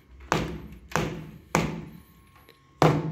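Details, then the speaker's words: StP Gold sound deadener, 2.7 mm thick, applied to a sheet-metal test panel: four dull, short knocks that stop dead with no ringing after, a drier hit and zero panel vibration compared with the bare sheet. "ya soy un golpe más seco cero vibración en la lámina y por ende bueno ya no se escucha el y"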